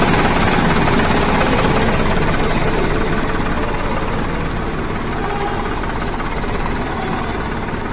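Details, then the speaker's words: Mercedes-Benz OH 1526 bus diesel idling with an uneven, limping beat at start; the MR engine control unit was found faulty and replaced with a serviced spare. "dan teman-teman ini ternyata suara minnya benar-benar bincang"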